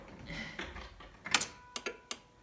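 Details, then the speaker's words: 1989 Ford Probe GT Turbo, no-start, new fuel pump just installed, six gallons in tank, key on: a few sharp relay clicks in the quiet cabin but no fuel pump hum; pump not running, engine later started. "that didn't sound good i can't hear the pump i hear relay's clicking but i don't hear fuel pumps pumping"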